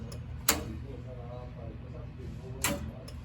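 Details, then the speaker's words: Residential gas boiler during a pilot system rebuild on an emergency call: two sharp clicks about two seconds apart over a quiet hum. The valve gets power but the pilot valve closes and won't hold, so the gas valve was replaced; faulty gas valve. "It's getting power. Right, but that pilot valve, she closed. She's done. Gas valve shot."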